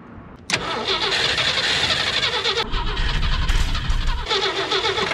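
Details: 1964 Jeep Wagoneer with a Chevy rotor fitted and spark confirmed: starter churns unevenly for about five seconds without catching; crank, no start from fuel starvation before gas is poured in.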